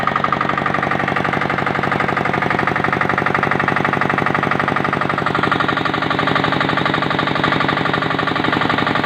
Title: KPor Engine Tested After Overhauling